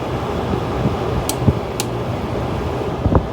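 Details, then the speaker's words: Window air conditioner with a rotary compressor: a steady low hum with an even fan rush and a few light clicks. The compressor and fan are running smoothly; a vibrating cage was noted. "compressor to queen rotary it is a nice sound though"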